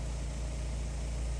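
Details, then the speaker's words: Fiat Palio Fire Evo 1.4 after oil-pressure warning and engine noise, fixed by replacing the clogged oil pickup screen and cleaning the sump, at operating temperature: short stretch of smooth, low, even idle with no ticking or knocking; healthy. "o motor já não produz mais barulho e nem aparece a mensagem no painel então foi resolvido aí o problema com a limpeza do carter e a troca da peneira"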